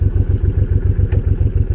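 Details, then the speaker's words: Honda VTX 1800 V-twin, warm with exhaust hot, stock exhaust: even, loping idle thump at about eight beats a second, steady, no pinging or misses; healthy warm idle, running very well. "That's the sound of the exhaust system. That's the stock exhaust system."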